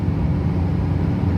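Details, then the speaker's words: Duramax truck driving with old fan clutch welded fully locked: constant deep roaring air rush, far louder than normal, sounds like a hurricane at the front; engine temperature holding around 190 to 200 degrees. "so the ecm thinks that the victim is not working right now but it obviously is so she's loud literally sounds like a hurricane in the front of the truck"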